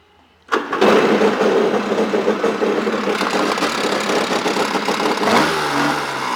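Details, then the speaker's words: 1997 Yamaha Wave Blaster 2 760 two-stroke jet ski, freshwater hull with hole in front, being parted out: fires first try and settles into buzzy even run, no knocks or rattles; normal start and idle. "It does start, it does run, it does drive around."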